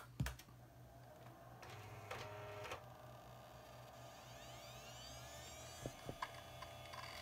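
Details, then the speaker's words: AST Bravo MS 5166M mid-90s Pentium MMX PC at power-on: quiet room, a few clicks, then a faint whine climbing steadily in pitch as the Caviar hard drive spins up normally; the silent drive muffles it but is not entirely silent. "the silent drive is not entirely silent as you can hear you can still hear the whine of the caviar it does muffle the sound"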